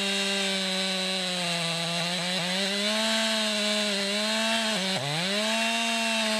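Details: 2020 Stihl MS261, non-M-Tronic carbureted, 20-inch bar, cutting a poplar log about 1.5 ft across with a straight cut and plunge cut: high steady note holds through the cut, dips once briefly and recovers quickly; normal cutting under load.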